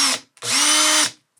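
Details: Makita DDF482 cordless drill after replacing intermittent trigger switch module (6507545, replaced by 6507537); brushes and motor had been fine: short blip then smooth one-second run, pitch rising and holding steady, clean start and stop; working again.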